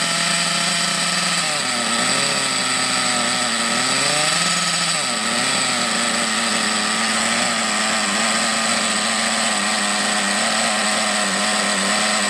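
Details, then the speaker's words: Thunder Tiger EB4 S2 Pro nitro RC buggy, shed find, idle screw just turned lower: small nitro engine buzzes high and uneven, surging and sagging; owner suspects a bottom-end main bearing seal not sealing, unconfirmed. "it is going to be sporadic it's going to be up and down there's a good chance that perhaps one of the bottom end seals isn't quite a ceiling on the main on the main bearings"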